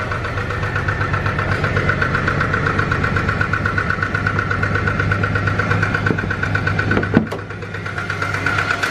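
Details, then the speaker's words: SN95 Mustang budget project running rougher at idle after a drag-timer acceleration run: uneven, loping idle with wavering low rumble, irregular beats and a brief blip; owner doubts it has much life left, cause unconfirmed. "now she's running a little rougher I don't think she's got much more life left in her so let's start her up yeah she's running a little rougher guys"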